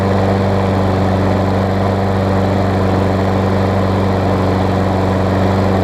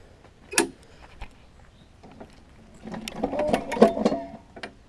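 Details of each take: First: Craftsman self-propelled mower with Tecumseh engine on old gas, after tightening a loose, backwards-mounted blade that caused clunking: steady, even single-cylinder thrum at constant speed, no misses or knocks; normal running. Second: Craftsman self-propelled mower with Tecumseh engine: pulling the starter brings uneven hollow clunks and rattles; blade was loose and mounted backwards, fixed by refitting blade.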